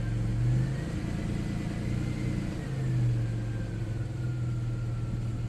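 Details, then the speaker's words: 1994 Chrysler Town & Country AWD, after vacuum leak fixed and transmission pan service, fluid checked cold: smooth even idle with gentle rev swells, faint steady tone, no hunting or stumble, running better. "Alright. Sounds a lot better now. It runs better now that I fixed that vacuum leak."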